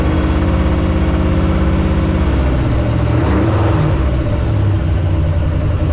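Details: 1968 AMC Rambler American 401 V8, first start after a rebuild and ten years sitting: deep steady rumble at even revs, no knocks or misses. Running fine but needs tuning; it was getting hot.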